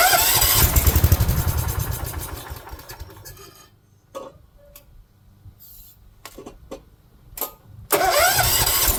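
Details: 1970s AMF 1414 barn-find garden tractor, first run after a no-spark fix and fresh oil: fires and revs briefly, then sags and dies within seconds before catching again. It sounds fuel-starved; owner suspects the fuel filter style doesn't suit its fuel pump.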